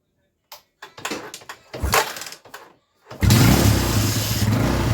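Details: Yamaha Scorpio that had stalled from lost compression, after the timing chain, tensioner and oil filter were replaced. After a few kicks it catches and settles into an even, steady single-cylinder beat with no misses; it now runs normally.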